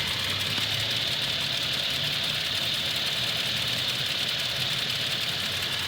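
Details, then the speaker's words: Toyota Tacoma at operating temperature after about six minutes, idling under 1000 rpm: light ticking about twice a second from the driver side, louder when warm, with slight shakiness and no check-engine light. The owner suspects a defective engine; Toyota says it is within spec. "you can hear right here that's not normal see it sounds louder after each his operating temperature but you got to let it idle in order to really hear"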